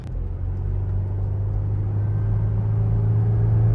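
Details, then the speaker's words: Low droning rumble from the rear pulsing with wheel speed while driving a flood-damaged 27k-mile Cadillac SRX; owner thinks mud caked in the wheels and tire treads, rumble fading as it drives; shifts fine. "whatever that Rumble was in the back it it's getting less and less I think there was just some stuff Caked Up in the wheel from the"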